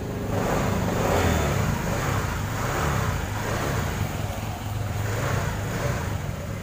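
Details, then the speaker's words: 2018 Honda Vario 150 whose starter only clicked at the relay by the battery, after cleaning the relay with contact cleaner: fires straight away into a steady, even idle without stumbling; starts and runs healthy. "Langsung aja kita coba bismillah alhamdulillah ya kita starter lagi matikan terdengar Mas Bro statennya alhamdulillah sudah bisa"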